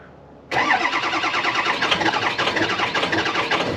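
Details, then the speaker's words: 6.0 Power Stroke diesel, about 200,000 miles, cold start without block heater plugged in: cranks, catches abruptly, then runs rough and uneven with lumpy clatter; hard cold start. "This is what a 200,000-mile Power Stroke sounds like when you try to start it without plugging it in."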